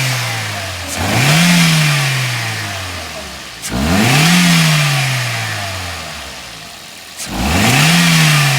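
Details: Toyota GLi after tappet (valve clearance) setting, which fixed its bad engine sound: three quick blips from idle, revs rising cleanly and falling back smoothly with no ticking; valve train now quiet and healthy.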